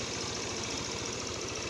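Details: Euro Motor small motorcycle engine idling with a quick, even putter, no misses or unusual knocks, after a no-start where the starter only clicked; starter motor seemed stuck (possibly after washing) and was freed by tapping it.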